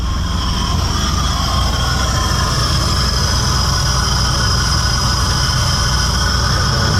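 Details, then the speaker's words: VN Commodore that sat for years and ran poorly, started after wiring repair restored 5 V to the throttle position sensor (0.5 V idle, 4 V full throttle); deep, steady, even idle rumble with no misses. "so I guess we'll just just fire it up see if it runs an idols getting excited"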